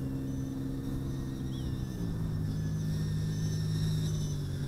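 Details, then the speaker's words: XF100 micro FPV racer drone with 1104 8000KV brushless motors and five-blade props, in flight at high throttle: steady, even buzzing that climbs in pitch, no rattles or dropouts; healthy motors with strong lifting power. "tons of punch look how fast I get in the air plenty of lifting power from those uh five later props"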